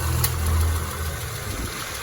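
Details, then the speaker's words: Peugeot 206 after adding a relay (with fuse) to the starter circuit for its hot no-start: engine now starts when hot and idles smoothly with an even low hum, no misses, knocks or rattles; normal idle. "Jadi sekarang walaupun sudah panas starter mau ya sudah panas mau starter."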